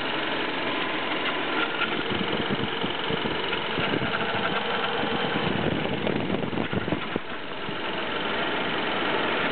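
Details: BMW E36 318is, M44B19 engine, cold start idle: scattered metallic rattles while rpm swings between 1000 and 1500 repeatedly; source of the metal noise unknown.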